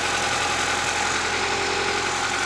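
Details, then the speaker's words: Honda Accord CB7 engine idling after replacing crank, balance shaft and oil pump seals and reinstalling timing belt; steady even hum with no knocks, ticks or misses, healthy idle, no leaks seen so far. "All right, well, this thing is running like a damn champion."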